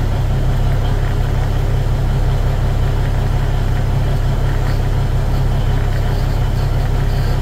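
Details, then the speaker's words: Cummins NT855/N14 big-cam diesel just after an overhead valve and injector adjustment and rocker install: a steady, even deep idle with no misses or knocks. The engine runs healthy. "but anyways I'm pleased this punch it runs good sounds good 42 lbs of oil pressure"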